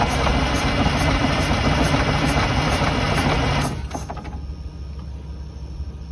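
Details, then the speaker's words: 1982 Silver Eagle tour bus, Detroit 6V92 diesel parked 6-10 years, on one small battery: fires on a small shot of ether and roars rough about three and a half seconds, then dies abruptly; likely not getting fuel. "see what i mean she runs just for a second until she's out of the ethers and it's done"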